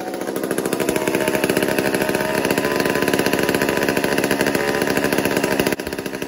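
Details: Old McCulloch 1-10 chainsaw, a two-stroke not fired for a long time, during carburetor tuning: revs surge and sag unevenly with a ragged, stuttering firing beat; runs erratically, cause not pinned down.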